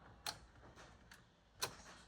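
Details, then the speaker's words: Early-1990s Oldsmobile Silhouette minivan that sat for a decade or more, battery about 12.7 V, key on before cranking: two sharp clicks about a second apart in a quiet cabin, no fuel pump noise; solenoid clicking. "That should have full voltage. It's like 12.7, I think. No pump noise. Kind of hear a solenoid, actually."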